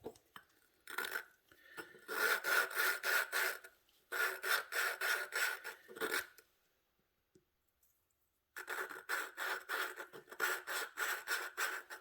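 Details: Hand lapping the exhaust valve with a suction-cup tool, pressing down, on an 18 hp Vanguard head; gritty rasping at about three strokes a second, seat not yet bedded, becoming less gravelly as it laps in.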